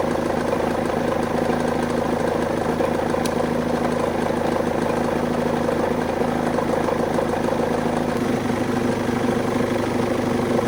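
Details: BMW E46 idling smooth and even after starter motor replacement and a jump start for a flat battery: steady low drone, no knocks, misses or starter noise; healthy idle.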